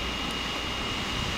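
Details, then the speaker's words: Wacom Cintiq Companion 2 under OS X running Cinebench: steady loud rushing airflow with faint high whine, fan at its highest level under heavy load; loud cooling fan at high speed. "so I'm gonna run cinebench now it's kicked up to high gear so you can probably hear it"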